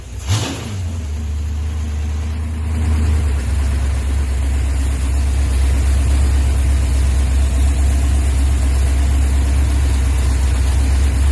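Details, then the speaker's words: Project car V8 with MSD ignition, timing just set to 32 degrees after suspected rotor phasing problem: fires up quickly and settles into a steady, even rumble with no misses or ticks; it finally runs well. "You guys can hear it actually finally runs. Runs good."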